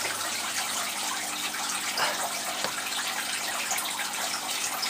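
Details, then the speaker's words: All Pond Solutions external canister filter just after priming: loud, steady hissy splashing of water churning inside like a washing machine, no pump hum audible; trapped air still in the canister. "keep this push down the filter's on now running and lift that up and you layer it you lay like it sounds like a washing machine you lay water splashing about inside"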